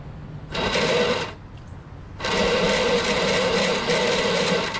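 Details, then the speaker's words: Craftsman lawnmower, Briggs 6.5HP Quantum engine, keystart: two bursts of high, thin electric whirring, about one and two and a half seconds, no cranking; starter motor spins but its drive gear is stripped and not engaging. "the motor spins but the gear doesn't see what i'm saying so it appears that this motor spins right but whatever gears the motor spinning to turn this gear isn't is stripped"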